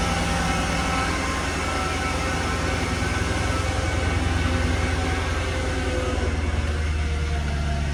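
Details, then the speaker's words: Mercedes-Benz E55 AMG W211 V8, Japanese import, started up: deep, even rumble with a steady low throb, no knocks or misses; normal healthy idle. "And we'll start her up just so you can hear her."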